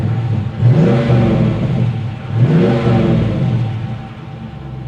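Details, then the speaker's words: 2020 Dodge Challenger R/T V8 at an auction lot: two clean throttle blips rise and settle smoothly with no ticking or knocking underneath; the engine sounds healthy. "it sounds good cold air this one's going on the list now"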